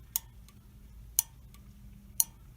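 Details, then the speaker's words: Honeywell gas valve on a water heater: crisp, sharp clicks about once a second in a quiet room as the pilot valve is energized through its pin, showing the valve opening normally. "now we're going to test the main burner valve and you'll hear the same thing if it's working it will click you'll hear a clicking noise which is that valve opening up"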